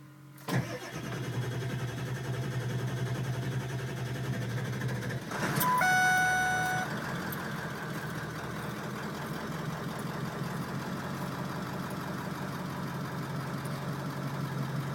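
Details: Truck that won't start, fourth start attempt on a Monday morning; steady cranking chug about four beats a second runs for many seconds without ever catching; cranks but won't start.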